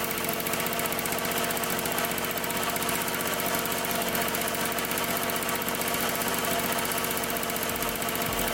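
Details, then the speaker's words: 1974 Honda Elsinore MR50 50cc two-stroke idling fast while carb cleaner is sprayed around the carburetor boot. The idle neither rises nor dips, so there is no air leak at the carburetor. "so as you can see the bug did not rev up or idle down when I sprayed the carb cleaner so there's no air leaked by the carburetor"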